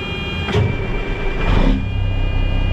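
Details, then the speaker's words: Semi truck diesel just started in neutral after under-hood check; steady high-pitched buzz with red warning light over low idle, low air pressure warning while air pressure builds. "guys hear that buzzing noise and see the red light there that's because we're low on air pressure"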